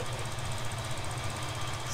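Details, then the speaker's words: Twin-turbo 1957 Chevy Bel Air restomod, fuel-injected, start after fixing a bad exhaust leak: fast, light, even injector ticking over a steady low idle rumble, quieter than before and healthy. "oh pressure it sounds a bit quieter than when we last heard it [Applause] oh i can hear the injectors clicking now"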